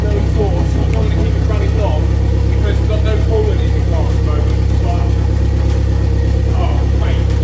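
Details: Toyota MR2 track build, first run after an engine transplant and rewiring a wire, kept short. A loud, deep, steady unmuffled rumble with an even firing beat and no knocks or misses. Normal running.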